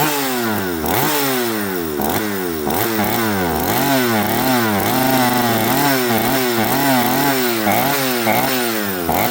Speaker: Metering lever. If it's too high, these are your symptoms. Um, some saws will spit fuel out of here like profusely like that. Some saws just won't start. Some saws will not rev up or will not idle without holding throttle on it.